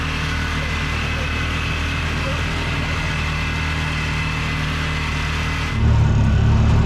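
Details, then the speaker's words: Bobcat 3400XL (rebadged Polaris Ranger 500), single-cylinder fuel-injected 500, after rigging a replacement fuel pump giving 40 psi fuel pressure: steady drone deepens cleanly as throttle opens to floor, no stumble or cutout; normal full-throttle pull. "so well that fixed it so just happen to have a fuel pump left over from another project just kind of happened to be able to kind of rig it up where it worked and now we've got good 40 pounds of fuel pressure throttle works on the floor life is good"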